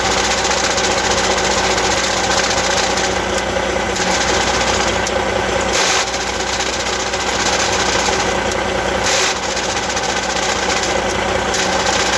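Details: Eaton Easy Pedal Advantage clutch: steady diesel idle with a light uneven rattle at about two and a half per second on top, abnormal clutch noise, cause unclear.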